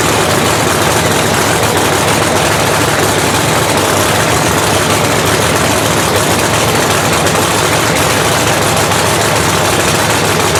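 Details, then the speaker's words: Blown 3,500 HP Hemi in a drag race truck, restarted after an all-night rebuild following a 3-second pass: very loud, harsh idle with an uneven thump under the blower roar; cylinder number two is dead with a cold plug that hasn't cleared out. "We got a cold plug right here, and just because it's not cleared out."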